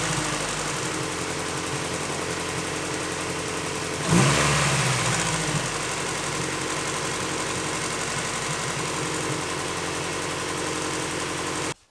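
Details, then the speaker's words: Honda B-series engine after installing a 1320 timing belt tensioner pulley: smooth even idle with a quick blip, no belt slap or rattle; tensioner removed the belt slop. "there you guys go I mean I think that pretty much speaks for itself obviously it took out pretty much all of this slop"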